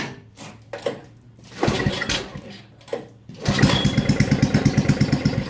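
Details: Estate snowblower with a Tecumseh 4hp engine, started after a carb rebuild. A few rope pulls with short bursts, then the engine catches and settles into a quick, steady putter: normal start.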